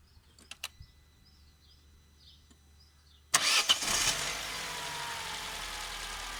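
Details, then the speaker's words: Opel Corsa 1.2 16V cold start after connectors were sprayed to fix a starting problem: short crank, engine catches on the first try and settles into a steady, even idle; normal start, problem resolved. "Here, it looks like we managed to resolve the situation. The car started at first."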